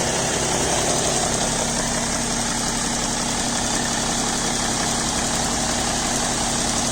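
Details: BMW E60 525d diesel idling after start: light, fairly regular tick over the engine clatter; present cold, gone around 80°C; fresh 5W30 oil; cause unknown.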